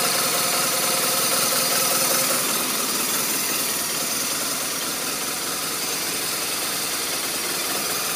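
Idling boxer with a thin, hissy tone and an uneven pulse around three beats a second that never settles; rough idle, cause unclear.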